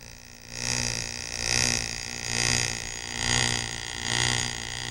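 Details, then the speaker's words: Driveline demonstration model on a constant-speed electric motor, yokes set 90° out of phase, card held to sprocket on second shaft: whirring surges and fades twice per revolution as shaft speed varies; universal joints out of phase. "one revolution ution of the shaft sounds like this as you can tell from the sound the shaft speeds up and slows down twice"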